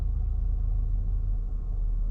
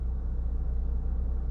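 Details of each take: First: 2014 Toyota Camry, 207k miles, warmed up: very low, lumpy idle shaking hard, then stalling; cause was oily carbon buildup at the throttle body butterfly valve restricting airflow, fixed by cleaning. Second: 2014 Toyota Camry, 207k miles, warm, after cleaning oily carbon buildup from throttle body butterfly valve that caused low rough idle and stalling: low, even idle settling to about 800 RPM, no vibration or hunting; problem solved.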